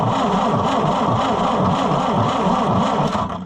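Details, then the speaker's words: Oliver 550 diesel tractor with number one injection line off: steady starter cranking about three and a half turns a second, no firing and no fuel delivered; injection pump gummed up and stuck, needs rebuilding. "So, this one is just like that other one, but worse. It is gummed up and stuck and it's not going to do thing."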